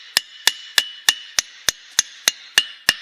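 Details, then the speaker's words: Cracked anvil with fire-welded pieces and a face coming loose: hammer taps at the center give short, dull clacks that die at once, the cracks absorbing the sound instead of ringing. "ça résonne carrément pas, en fait. Cette enclume-là, elle absorbe l'entièreté du choc que je lui donne. L'entièreté du son est absorbée par les fissures."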